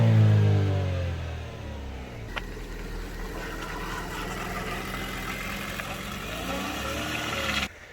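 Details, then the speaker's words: Chevy Sonic LT just after a cold start, revved with some throttle. It climbs cleanly, drops back and settles into an even, steady idle with no knocks or misses. Normal rev and idle. "This is a cold startup on a Chevy Sonic LT. Woo! Give it a little goods. Give it some goods."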